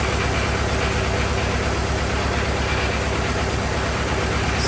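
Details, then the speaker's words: 1927 Ford TT truck, new buzz coils, running on magneto ignition; low, lazy, steady idle, no stumbles or rattles, firing cleanly; just as smooth on mag as on battery, normal idle. "that's on mag run smooth on mag too just as smooth as battery"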